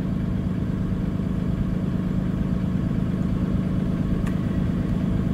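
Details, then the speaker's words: Cummins B6.7 diesel bus during a forced DPF regen, which takes about 1 hour 15 minutes. Steady, smooth fast idle at about 1050 rpm; normal. "and I've timed this uh full forc regen takes about an hour and 15 minutes unless of course you abort it sooner than that and it uh will fast idle about 1050 RPMs that is perfectly"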